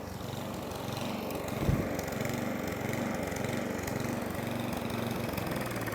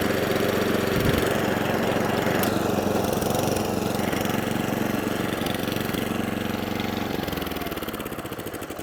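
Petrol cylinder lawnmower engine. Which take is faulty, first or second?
first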